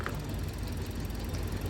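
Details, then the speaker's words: Sigra with strong engine vibration and stumbling at low rpm; spark plugs and coils were checked and found fine. Uneven, lumpy low idle that stumbles instead of running smooth; a rough idle whose cause is not yet found. "Lagi cari penyakitnya mobilku guys, yang suaranya tersendak-sendak"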